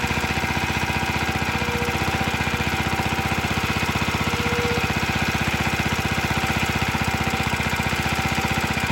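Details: Very early 1954-55 Suffolk Iron Foundry Model 1A small engine, cold: a single-cylinder beat about four per second with a light metallic rattle on each stroke. Runs steadily but rattly; cause unclear.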